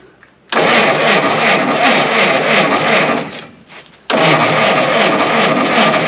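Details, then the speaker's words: 1952 Willys pickup, off the road since 1991: two long cranking bursts at an even 3.5 turns per second, no catch; cranks but won't start, cam timing apparently off a tooth, suspected jumped gear. "i think we finally came down to figure out why this thing was parked in the first place and it would appear the cam timing is off a tooth"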